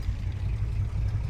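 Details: Truck with V8 on newly fitted Holley 4160 replacing hesitating vacuum-secondary carb, warm at about 200 degrees after town drive, idling about 500; deep steady even rumble, no stumbles or knocks, hesitation gone.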